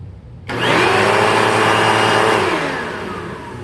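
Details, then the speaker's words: 2000 Dirt Devil Featherlite upright vacuum, test run with a bag after four bearings were rebuilt (two brush roll, two motor): the motor spins up to a steady, even high whine with no bearing growl, then winds down cleanly. Clearly improved, normal running. "Well, it's certainly not perfect, but with 4 bearings rebuilt, 2 in the brush roll and 2 in the motor, I just bet it's going to sound a little bit better. But this thing was never meant to be quiet, to be sure. That is quite a difference."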